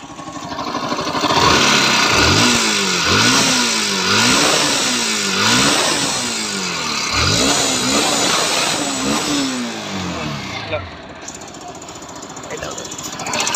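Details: Bajaj Pulsar NS160 single-cylinder engine blipped repeatedly, revs rising and falling about every two seconds, with a rough rattly edge over the exhaust; engine sound problem, cause unclear.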